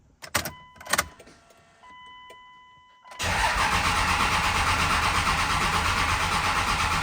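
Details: 24-valve 5.9 Cummins in a 2nd-gen Dodge Ram 2500, first start after VP44 injection pump replacement and bleeding the injector lines. After a few cranks it fires up and settles into a steady, even diesel clatter.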